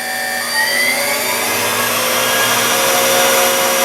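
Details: Deckel S5 universal tool and cutter grinder, dual-drive spindle on a frequency drive, brought back up to about 7,000, 100% speed: steady, even high-pitched whir with no knocks, rumble or rise and fall; spins smoothly at top speed.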